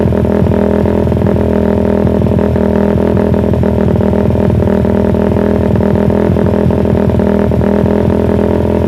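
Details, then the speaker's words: Suzuki Satria FU with the intake cam advanced about 1 mm, PE28 carb, air screw over four turns out: loud revving with a slightly choppy, intermittent beat that never smooths out. Uneven revving attributed to the cam advance. "ternyata agak kaya putus-putus gitu ya Lur dikit gitu ya karena memang saya gesernya juga dikit"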